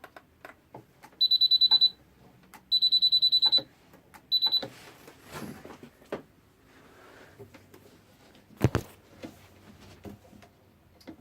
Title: Peugeot E-vivacity won't start